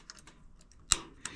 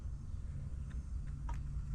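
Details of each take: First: Rheem gas water heater in attic, before burner replacement: two sharp dry piezo igniter clicks about a third of a second apart in a quiet room while pilot lights; corroded burner only holds pilot temporarily. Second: Rheem gas water heater in attic just after burner assembly replacement, gas on low: soft, steady low roar with no popping or sputter; burner lit and burning cleanly, though heater later failed again.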